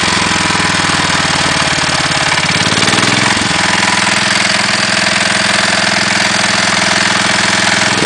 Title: CASE 444 PISTON SLAP